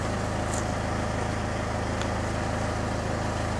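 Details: Citroen Xsara Picasso diesel with over 512,000 miles, idling at 700 rpm per diagnostics, fuel pressure 298 bar; smooth steady low clatter with no misses, knocks or hunting, healthy normal idle.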